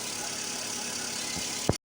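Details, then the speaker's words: Small-capacity petrol car engine after spark plug replacement to cure misfiring and rough idle: idles with a steady, even hum, free of stumbles or shaking. "now my car is just running smoothly smoothly as you can see I changed plugs now my car is running smoothly"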